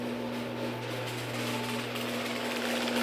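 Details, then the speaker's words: Genie screw-drive garage door opener running down with the door arm unhooked, no door attached: a steady low motor hum with an even whirring drive and no knocks or grinding; very quiet and running normally. "all right here it is without the door very quiet yeah this is honestly it's got to be the quietest genie screwdrive i've ever heard"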